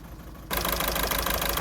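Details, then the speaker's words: 2009 VW Golf 1.6 TDI (CAYB, 90 hp) with codes P0203 and P0606, idling on three cylinders: a lumpy, uneven beat with a missing pulse. The cylinder 3 injector failed, and unplugging it changes nothing. "engine is running on three cylinders the cylinder three which is the bad one I'm just going to disconnect the cable see that nothing changes"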